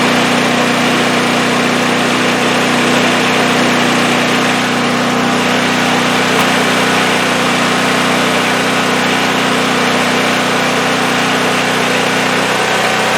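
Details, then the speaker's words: Champion 5500 W generator after overdue maintenance (oil, spark plug, oiled foam air filter, new battery), carrying an electric heater load: steady even drone holding speed, no hunting, misses or knocks; running healthy. "So that sounds like it's running good. I'm going to put a load on it now. I had an electric heater here for a load."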